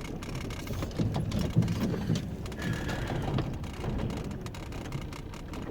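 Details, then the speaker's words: Van engine misfiring badly while reversing in the dark: low, uneven stumbling beat with irregular thumps over rain patter. "You can hear the trouble my car is having now with reverse. It's misfiring like crazy."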